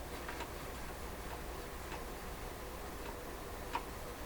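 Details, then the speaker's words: PYE 39HC shortwave broadcast receiver during dial pointer setup: faint uneven light clicks, one or two a second over a quiet hum, as the tuning capacitor reaches its maximum end stop; normal. "Okay, the clicking is the capacitor reaching its maximum spot."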